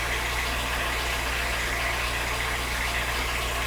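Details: Ethanol-fuelled 2010 VW Fox, idle checked on scan tool with lambda switching normally: even, steady idle with no misses or hunting; throttle body slightly high, to be cleaned.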